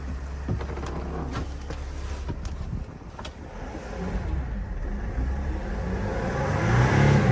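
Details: 2016 Mercedes Sprinter 3500 Freightliner ambulance, 3.0 diesel, replaced with new OEM engine, about 90k–110k miles: steady, even note with no knocks or rattles, building smoothly as revs climb; normal engine running and revving.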